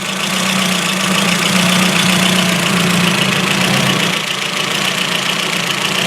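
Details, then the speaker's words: Ford Focus MK1 RS on a frosty cold start, warmed up after sitting a week with new battery: idle stumbles with an uneven lumpy beat three to four times a second over a drone, unburned petrol smell; misfire developed after a drive, owner suspects a plug. "I like a misfire seems to us on there I need to get this in short so that I can take out for a test drive"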